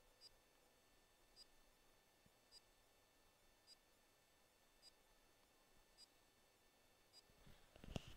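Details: Hard disk drive powered from bench supply for data recovery, spinning but repeating quiet high chirping beeps about once a second: heads stuck to platter, freed by bumping.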